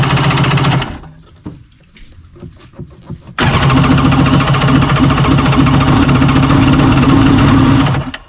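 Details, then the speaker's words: 1994 Kawasaki 750SX stand-up jet ski two-stroke after electrical box replacement and carburettor work, fuel primed and throttle feathered: fires, runs a few seconds, then dies; cause not confirmed; engine will not stay running. "I just feathered the throttle a little bit to see if I could get it a couple extra squirts of gas so it started to fire"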